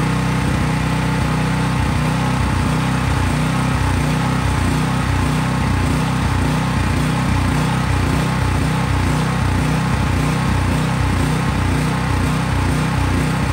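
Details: Craftsman 5000 watt generator, cold start and running with little or no load such as a lamp: steady even engine drone with regular low pulses, no misses or knocks; normal running, no load.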